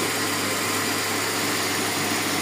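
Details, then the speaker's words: GLI car engine, cold start: smooth steady idle with no chirping or whistle over the hum; the earlier cricket-like noise is gone, valve now open and drawing vacuum. "Yan, cold start ang kinuha natin dyan. Tsaka, tinan mo, wala nang ingay sir, halika. Ah, diba? Wala na yung kuliglig."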